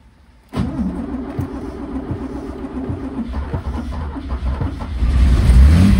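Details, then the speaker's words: 1963 Mercedes W111 220SEb cabriolet, first start during restoration with cold start not working: catches into an uneven idle with an irregular stumble, missing; owner suspects a disturbed spark plug, unconfirmed. "it sounds like it was missing a bit probably give it another go"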